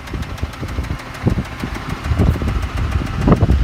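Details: Mitsubishi 6G72 V6: quick, uneven knocking over a rough idle, heavier at times; clear internal engine knock, not the hydraulic tensioner, source undetermined until teardown.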